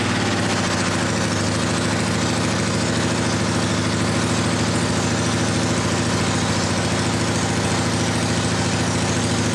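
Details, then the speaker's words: 1979 Honda CX500 half-converted cafe racer, first start on sprayed gas: low, lumpy, loping idle firing on one cylinder only; problem is suspected fuel/carburetor related. "I didn't burn that other plug out. It would have it running on both cylinders. So it's obviously fuel related."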